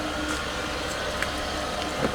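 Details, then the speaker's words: 1996 Mercedes S420 walkaround before repairs; engine holds a fast, steady idle with an airy hiss that won't come down because of an air leak, then drops; high idle from vacuum leak. "maybe not no idle is still not coming down so because of the air Lea"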